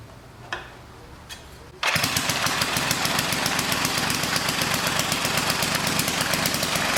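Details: 1959 military engine fed from fuel line in a gas can, carburetor high-speed circuit sprayed out and slightly flooded: two weak pops, then catches and screams fast and steady, revving very high as the governor runs wild.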